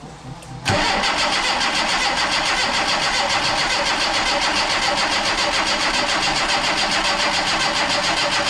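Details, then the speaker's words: Yugo Sana GL, first crank in about 20 years on a bodged-in battery: starter spins engine at steady even beat about eight seconds without catching; cranks no start. "Right, so we're going to give it a go spinning over now. Let's see what happens. First time in about 20 years."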